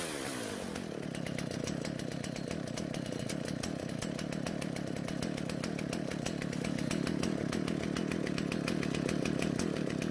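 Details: Husqvarna chainsaw that wouldn't start, after both mixture screws turned out slightly for more fuel: steady even two-stroke idle, no stalling or hunting; normal idle.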